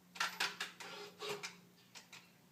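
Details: 2013 Ford Focus, parked with ignition off after opening and shutting the door: sharp clicks then a brief soft whir, repeating about every 8 seconds roughly 25 times, from the right side of the engine bay; later fixed per TSB 13-4-18.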